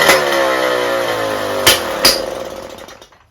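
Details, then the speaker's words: Old two-stroke moped engine on a test bench with a different exhaust fitted in place of the original, which is suspected to be clogged: the buzz climbs crisply to high revs and falls back cleanly with no bogging; normal revving. "Bon, je pense que vous voyez la différence. Hein. Il prend ses tours."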